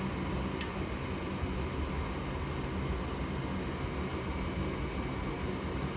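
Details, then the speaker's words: Goodman furnace with open pressure switch code (3 blinks), retried after reseating pressure switch connectors; steady airy inducer whoosh with one brief click, igniter glows but no gas lights and fault returns. Inducer running but furnace still faults. "You see? Oh, you see now the igniter is on. We're just waiting for the gas. Uh-oh. Nope. Oh, what happened? Let me see. Still giving me the problem."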